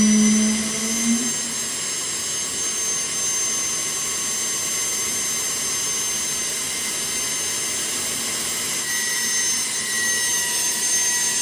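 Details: Boeing T50 jet turbine-powered Camaro driving under load, gauges all good: strong steady high-pitched turbine whine over rushing air, pitch holding even without surging; turbine running healthy.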